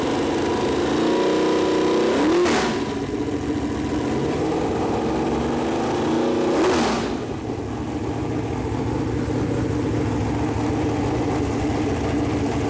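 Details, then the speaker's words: Chevrolet Performance 454 big-block V8, fresh engine build on a run-in stand, first fire-up with header paint burning off: smooth, even idle with two clean throttle blips that rise and settle quickly; temperature around 190, oil pressure good; normal idle and revving. "well all right so that's the first fire up of her got all the header paint about burned off now"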